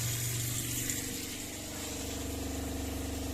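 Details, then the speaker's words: Newly installed Shurflo water pump in a Clemenson camper cell on a Mitsubishi L200, under pressure with tap open: even steady drone with water rushing, no pulsing or rattle, no leaks apparent; normal pump running. "vous voyez elle est allumée ça fait pas de bruit ça veut dire que a priori il y a pas de fuite"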